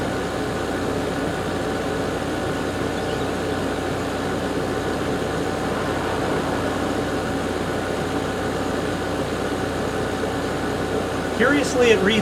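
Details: Garage A/C unit after its seasonal startup, about 107°F outside and 86°F in the house. Steady, even hum and fan whoosh with no knocks, rattles or squeals: compressor running smoothly.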